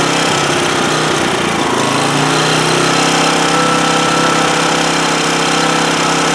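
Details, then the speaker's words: 2008 Homelite GC1800A 1800 W portable generator that only runs on choke: the small engine roars loud but uneven, hunting before settling, running best at half choke; fuel flow through the cleaned carburetor is inadequate, a lean condition. "well what I was what I was trying to demonstrate there is it's running best at half choke and so that's telling me carburetor is not the fuel flow through that carburetor is not really adequate"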